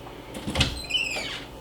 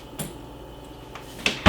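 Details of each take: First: Interior door swinging: soft bump, then a thin high squeak sliding slightly downward from a dry hinge, fixed by oiling the hinges with 3-in-1 oil. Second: no squeak squeak free you hear that that's all you need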